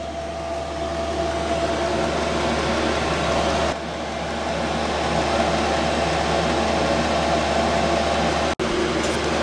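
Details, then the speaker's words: 5KW Chinese diesel air parking heater after about one hour running, 12V lead-acid battery, 8'x14' shed, 25F outside, exhaust about 165F, no smoke: steady combustion roar with constant fan hum and faint high whistle, no misfire or popping; normal running. "he has now been on for a total of one hour in one minute which includes the time the ten minutes it took for to prime during the initial startup earlier everything is working flawlessly I haven't seen any sign of smoke whatsoever"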